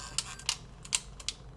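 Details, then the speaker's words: Sony WM-EX505 Walkman tape mechanism after reassembly, motor running: sharp irregular ticks, about five in under two seconds, over quiet hum; owner suspects gear wheels misaligned or big white gear out of place; intermittent clicking noise. "Well, so something good is happening, but there is a noise like two gear wheels aren't aligned perfectly."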